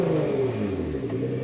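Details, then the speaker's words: Category MA vehicle held at stabilised test speed in a stationary exhaust noise pre-test, limit 95 dB: loud, boomy, rough exhaust drone measured at 102 dB, far too loud; the entire exhaust system was later replaced. "So quite often, if I actually hear that the car sounds a bit loud, I'll do a pre-test. So before I set everything up, I just set the microphone, bring it up to test speed, and just see where it roughly is. This MA Category 83 vehicle can't be over 95 decibels."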